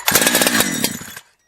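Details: Holzfforma G372 chainsaw after crank seal replacement, warmed up a few minutes: a short, crisp, steady high rev that shuts off cleanly, holding its carb tune. Normal running.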